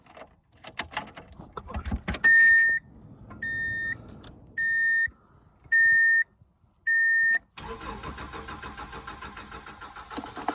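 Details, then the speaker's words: 1997 Subaru Outback, 230k miles, died with oil light, rock auto fuel pump fitted weeks before: five chime beeps, then the starter cranks steadily without catching; cranks but not fueling, pump suspected. "okay might not be garbage kind of sounds like it's not fueling let's hope that's what the problem is"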